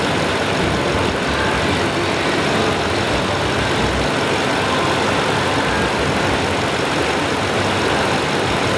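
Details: 2012 Tundra V8 after PCV valve replacement starts and holds a steady, even idle with a smooth unbroken note and no misses or ticking. Sounds healthy.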